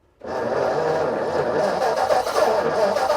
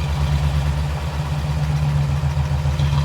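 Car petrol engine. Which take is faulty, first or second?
first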